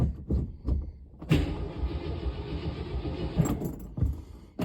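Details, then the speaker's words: 1967 Ford Galaxie 500 V8, sitting for years, cranked before the fuel line is hooked up. Starter churns evenly for about two seconds with no firing stroke; cranks but no start, no fuel supplied. "we got crank it that's a good start so we got cranage let's go see if we can make it do the thing where it runs"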